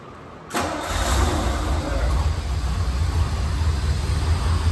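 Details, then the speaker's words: Classic V8 inherited barn find that previously sputtered and wouldn't stay running, now checked over: starts quickly and settles into a steady, even idle, cleaning itself up; slight sticky lifters noted after about 15 minutes' warm-up. "it's cleaning itself up quite a bit that runs nice"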